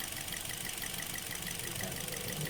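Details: Rough, uneven idle with a knocking stumble and hiss from a Toyota Vios small four-cylinder; engine running while each ignition coil harness is unplugged, and a cylinder whose idle doesn't drop is misfiring, suspected faulty ignition coil.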